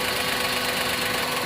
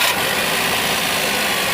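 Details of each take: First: Maruti Suzuki WagonR K-series running on company-fitted CNG, code P0202 injector circuit open on cylinder 2: rough, uneven, hissy stumbling idle; cylinder 2 is dead because its injector wire is cut at the root and the pin is out. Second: Maruti Suzuki WagonR K-series on company-fitted CNG after repairing the cylinder 2 gas injector wiring (P0202): engine ticks over steadily beneath a loud hiss, no stumble or missing beat; running normally on gas.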